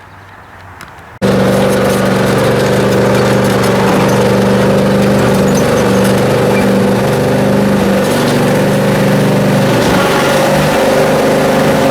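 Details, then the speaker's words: Briggs & Stratton Intek M44 twin mower after total carburetor tear-down and clean, manifolds removed this time (earlier air-blow-only attempt likely failed): catches and settles into steady even drone, no hunting or surging; works as it should, normal running under load. "hey well there we go she worked good it worked just the way it used to and should"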